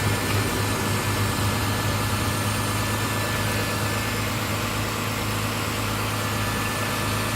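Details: Mitsubishi 6G72 V6 at cold idle. A fast, uneven light top-end ticking sits over the engine hum; it lasts 1-2 minutes after a cold start and fades once warm. The owner suspects the hydraulic lifters, unconfirmed.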